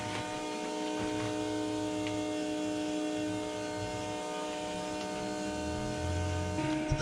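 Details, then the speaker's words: 1971 Chevy Nova LS swap: constant fixed-pitch electric hum from the old external fuel pump, run continuously on maxed-out prime to drain the tank before the Tanks Inc. tank and in-tank pump install; no clear fault heard. "All right. Fuel pump prime. Max it out. Here we go."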